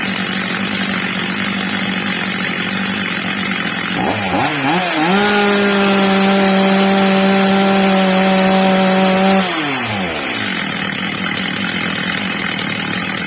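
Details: Old, well-worn Stihl MS230 chainsaw after fitting a new replacement carburettor, during its adjustment: idle rises cleanly to a steady high scream, then drops smoothly back to idle, normal run.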